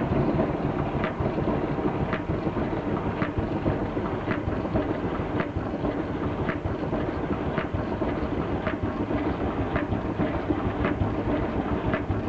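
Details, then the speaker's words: Miele Novotronic T294C condensing tumble dryer running: tumbling rumble with a scrape-tick each drum turn, humidity sensor brushes worn so their base contacts the drum rim; brushes replaced. "This is the noise I tried to trace to see what was going on."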